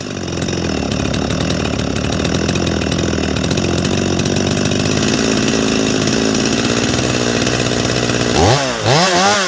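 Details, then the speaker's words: Holzfforma G255 chainsaw (MS 250 clone) during carburettor tuning: uneven, stumbling idle that burbles and wavers, then revs near the end; it seems to be loading up with fuel, and the owner suspects something else is wrong. "it is like it's loading up with fuel see if it'll fire right back up now"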